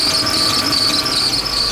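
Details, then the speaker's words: Audi V8, before repair: steady, piercing high squeal holds over the running engine; spring-loaded ribbed-belt tensioner built into the cover is not tensioning the belt, so it slips. "Это говорит о том, что наш натяжной механизм, который встроен в крышку, с ним что-то не в порядке, он не натягивает ремень как надо."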